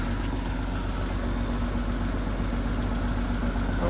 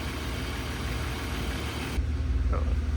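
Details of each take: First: Peugeot 106 GTi track-car build, cold start after sitting: steady idle with light regular top-end tick, owner suspects oil drained to the bottom; after warming and oil check, ticking disappears. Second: Peugeot 106 GTi track build, engine warmed up and oil checked, restarted and idling a couple more minutes on old petrol: steady, even low idle with a soft regular pulse, earlier ticking now completely gone; normal idle.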